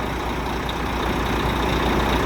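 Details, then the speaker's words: Volvo FH13 diesel truck idling after engine repair for a knock: deep steady idle with even low rumble and no knock, the noise is gone; normal idle. "Ну, звук ушел."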